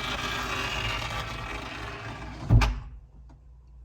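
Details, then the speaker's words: 2005 Porsche 911 Turbo S door window: regulator motor whirs about two and a half seconds then stops with a single heavy clunk, after an earlier scratchy noise rolling down; window regulator worn or needing adjustment. "clunk I mean that sounds painful"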